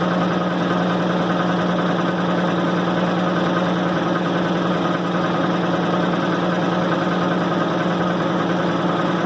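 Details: 1990 Maytag LA211 washer on spin cycle: steady low groan and whine with strong hum throughout, despite new belts, brake and brake bearing; cause not yet found.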